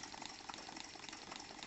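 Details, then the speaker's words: New Stuart D10 twin-cylinder model steam engine run on compressed air, both cylinders fed: wet bubbling blop-blop gurgle with quick hissy exhaust puffs, caused by slide valves and exhausts deliberately flooded with oil. "Donc le bruit de succion, je vous le rappelle, est lié au fait que j'ai gavé les tiroirs et les échappements d'huile."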